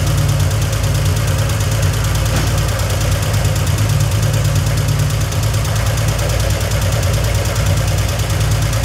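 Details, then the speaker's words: 1971 Triumph TR6 six, started after 20 years stored disassembled. Rapid, even ticking clatter over the idle at engine speed. No oil reaches the rocker tops; the rocker shaft is skewed with an air gap at the front, binding the rockers. "Got it to run, but we weren't getting anything on the top end of the rockers happening. And it looks like the rocker shaft is kind of like a skew."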